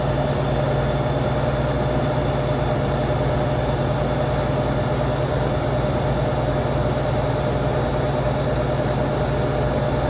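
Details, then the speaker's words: Walk-in cooler not cooling, sometimes icing, gauges on: steady compressor hum with condenser fan running at speed, no cycling; sight glass flashing, head pressure climbing, technician suspects overcharge. "And sight glass is flashing. Got the head pressure just climbing."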